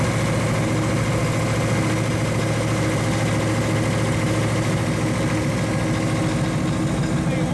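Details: 1935 Chevy Master with new 409 stroker V8 at first start-up on jack stands: deep, even idle with a slight cam lope of about three pulses a second, no knocks or misses; oil pressure and temperature good, so the idle is normal.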